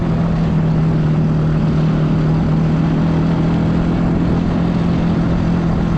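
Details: Bayou 220 ATV, sat for 8 years, on a test ride with a helmet camera; a steady, even engine note with wind rush behind it and no stumbling. All gears work, no bogging. Normal engine running.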